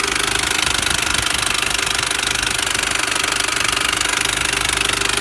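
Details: R53 Mini Cooper S at idle: sharp, even metallic tapping about three or four times a second over a steady idle; top-end tapping of unknown cause.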